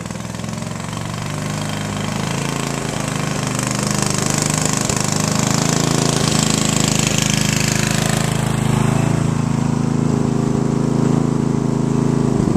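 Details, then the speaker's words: Sears Craftsman riding mower with a spare rebuilt carburetor fitted after the gunked original was removed: steady, heavy, slightly lumpy thump; it only stays running on choke, and the owner thinks another carburetor is needed. "So this one, the only way it runs is if the carburetor is on the choke the whole time. I probably need to invest in another carburetor."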